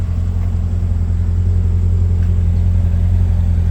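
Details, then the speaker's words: 2006 C6 Corvette Z06, stock, idling just after a hot start during outside walk-around; deep, steady rumble, even beat, no ticks or knocks; warm V8 idling smoothly and healthily. "Little outside walk around, just after doing a nice little hot start."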